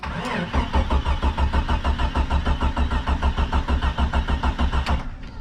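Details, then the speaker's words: Early-1990s Jeep Cherokee XJ not run in four or five years: steady starter cranking about three turns a second for five seconds, never catches; no fuel pump heard, fuel pump suspected, ether considered; crank no start. "maybe we'll give her some ether I don't even hear necessarily the fuel pump running so that could be an issue"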